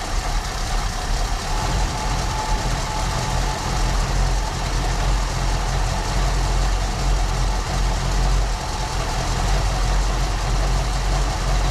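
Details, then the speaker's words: 1974 Ford Bronco V8 just after first start in over 16 years, following carburetor kit, plugs, wires, cap/rotor and fuel system work; owner thinks all 8 now firing; steady quiet idle, no knocks or misses. "I think we've got all 8. Just gonna let her idle there a little bit. Nice and quiet, guys."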